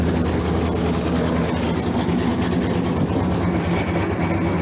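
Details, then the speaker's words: First-gen Dodge Dakota after Holley 450LPH 12-321 fuel pump install, old tune still in so running rich, in neutral: steady low rumble at an even idle with no misses or stumbles; starts and runs normally. "now i'm going to try to fire it up i still have the regular the old tune in it so it's going to probably run rich's which is fine"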